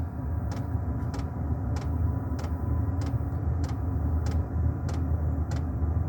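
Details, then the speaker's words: Diesel air heater running outdoors after start-up and glow-plug warm-up: deep, steady burn-chamber roar under the fan motor, with a crisp diesel pump tick about every 0.6 seconds; normal running while pumping warm air into the house. "There you go. That's the pump ticking. The diesel pump, and you hear the motor going, and the roar from the burn chamber."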